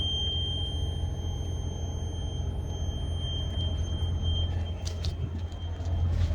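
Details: Diesel truck: steady thin high-pitched whine over a deep diesel rumble, heard best at the front; the same noise occurred the year before, and the owner suspects something clogged; source unknown.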